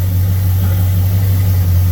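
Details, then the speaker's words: Thunderbird with Motorcraft 2150 carburetor, previously hard-starting and flooding when hot, restarted after sitting following float adjustments; fires right up, steady even low hum without stumbles or surges; idles smoothly and healthily. "It should just fire right up like normal. Here we go. Hey, how about that? Man, that's how it should go."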